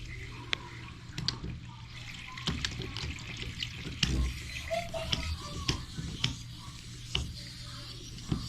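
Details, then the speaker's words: Drain test during toilet replacement, before setting the new toilet: water runs down open drain with light splashes, no gurgling or backup; line draining freely. "As you see, it doesn't look like it's backing up at all. Looks okay. It's going down properly."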